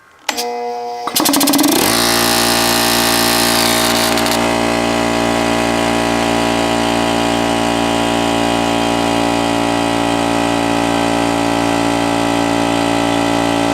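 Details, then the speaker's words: Bostitch 6-gallon oil-free air compressor, regulator looks broken and hose fitting missing: brief clatter at start, then steady even drone building quickly to 40 psi and holding; runs healthy. "so well there we go as you can see quickly built up to 40 pounds and it looks like it holds there so it looks like i got a good compressor"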